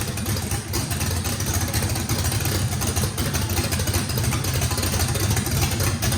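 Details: First start of a race V8 with a radical camshaft, likely big overlap and lobe separation, throttle blade about six percent open to idle: choppy, uneven low rumble with a loping beat, steady and clean; normal hot-cam lopey idle.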